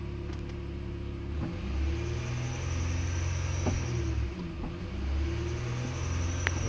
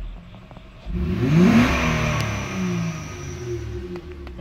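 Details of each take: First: 2008 Honda Ridgeline 3.5, code P1659, AC off, pedal pressed fully: low idle only swells slightly, never reaching 3,000 rpm, with ABS, VSA, VTM-4 and check engine lights on. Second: Honda Ridgeline with code P1659 and throttle not responding, revs capped below 3,000 RPM: after replacing the bad relay, engine climbs cleanly with smooth rising pitch and no stumble, revving freely.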